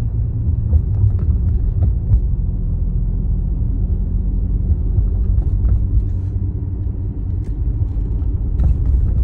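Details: Mercedes W205, bagged with SF Racing coil-overs, driving: heavy road rumble broken by irregular light knocks and rattles; owner unsure if coil-over clunk or dash rattle.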